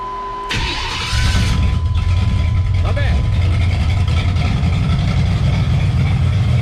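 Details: 1991 Chevy S10 with small-block V8 swap, after fixing leaky shorty header flanges and rerouting exhaust: brief crank, catches, steady deep idle, no ticking or exhaust-leak puffing; pretty quiet.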